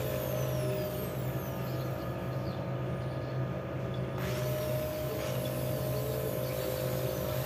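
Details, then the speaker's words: Bosch electric drill that kept cutting in and out, after repair with the cover refitted; steady, even motor hum with no cutting out while the cord is tested, now running smoothly. "kita coba kabelnya tidak ada kendala lagi sudah hidup normal"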